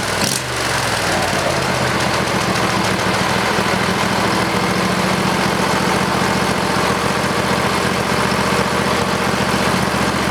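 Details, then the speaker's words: Briggs and Stratton 20HP V-twin Model 40 after carburetor cleaning and reassembly: catches quickly and settles into steady, even run with no surging or misfires; pretty good running engine, normal running. "well guys I guess that's about it seem to be a pretty good running engine"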